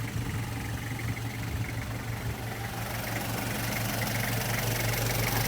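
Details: 1994 Toyota Hiace LH112 van, 2L diesel, said to start easily hot or cold: steady even low diesel rumble at idle, no knocks, misses or rattles; healthy engine.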